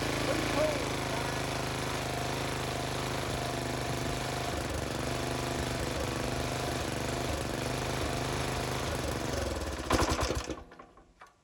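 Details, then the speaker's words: Briggs and Stratton tiller engine after fitting a new Amazon China-made carburetor, fired on two pulls without choke: small single chugs at a steady even beat for ten seconds, then cuts out cleanly; runs fine. "see that two pulls and his Joker fired up with a new carburetor on and I didn't even have it choked"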